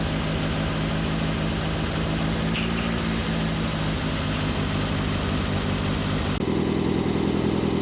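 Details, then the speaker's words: Turbo Miata, first start after the ignition timing was set: settles into a steady but slightly fast idle with no misses or knocks; it idles a little high but is otherwise okay. "First start after timing set. It starts. Idle is okay. It's idling a little bit high."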